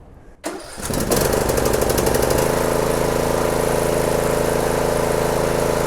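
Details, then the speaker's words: Briggs and Stratton 17.5 HP engine, approx 2018, manual choke via throttle control, after cleaning the carburetor. Fires after a short crank and settles into a steady, even run with no stumbling. Normal start and run. "runs like a champ"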